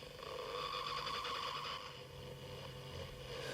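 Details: 1966 Philips EE08 kit two-transistor AM radio, newly built, tested outdoors via antenna, garden-tap earth and small amplifier: low steady hum under a wavering whistle shifting pitch while tuning, no station received; owner unsure if parasitic oscillation or household Wi-Fi interference.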